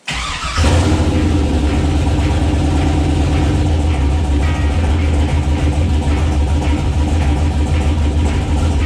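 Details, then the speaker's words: 6.0 V8 swapped CUCV truck, first start since engine pulled for torque converter install, cooling plumbing not yet done, logged with HP Tuners; quick crank, catches at once, steady even idle about 800 rpm, no misses or knocks. "at least she runs and she idles at a reasonable level now. It was idling at about 800 RPM. So, pretty happy with that."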